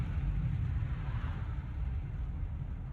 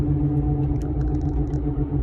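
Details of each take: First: 2015 Ford F350 on a test drive after replacing the front hub bearings, rotors and brake pads. Only soft, even road rumble with no growl, hum or vibration from the wheels. Normal wheel bearings. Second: 2015 Ford F350 driving: low steady rumble and growl under road noise, slow womp pulsing once per tire revolution, louder with weight, changing with steering, felt in the steering wheel; no play, no ABS light. Worn front hub bearing.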